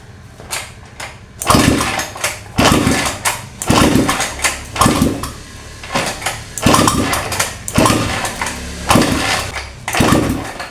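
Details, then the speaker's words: Honda Vario 125 that stalled after washing with water in the combustion chamber, spark plug cleaned and refitted: repeated kick-start bursts about once a second, turning over but never firing; owner suspects the plug was weakened by soaking in water. "Masih tidak menyala Pak. Oke, dia engkol-engkol sudah berkali-kali masih tidak menyala."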